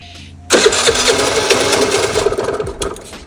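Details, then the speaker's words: Piaggio Vespa 50 LX scooter during restoration. After checking the fuel in the hose and the membrane, it fires and sputters unevenly, stumbling and fading instead of idling. The owner suspects the idle valve isn't working; fuel starvation not confirmed. "Ну что-то уже подает жизнь. Еще пару раз газнуть надо."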